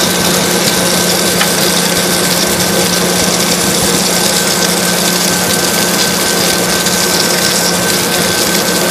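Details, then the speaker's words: Water tower (swamp cooler) pump, after isolating it with shut-off valves so it can prime: steady, even hum with rushing water and no surging or rattle; now primed, it "hums like a beauty, purrs like a cat." "Just hearing the pump, you just hear the difference. When it actually starts to work, it hums like a beauty. Purrs like a cat."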